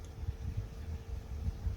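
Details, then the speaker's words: PC airflow fan rated 63.5 CFM, probably sleeve or rifle bearing, ramped from 500 to about 1000 rpm blowing at the camera; steady soft airflow hum with a faint thin whine, not very loud; normal fan running. "Not very loud, not very irritating. At least, I mean, there's a bit of a whine to it, but it's not horrible."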